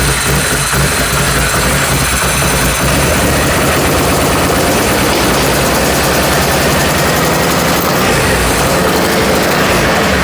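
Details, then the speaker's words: Can-Am with electrical faults: loud, lumpy, irregular idle that stumbles as if loading up. Owners suspect a bad injector or old gas. Cause unconfirmed. "it run it sounds like an injector is either screwed up or something or I think it's a gas"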